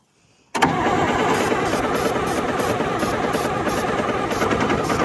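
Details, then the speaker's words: John Deere grader or 6850 articulating tractor diesel after its fuel filter was primed, started on ether and run near wide-open throttle: an uneven, lumpy beat while trapped air is still being purged from the fuel. Air in the diesel fuel system. "Just keep it going. Okay. And then once it gets the air out, you'll hear a difference in it."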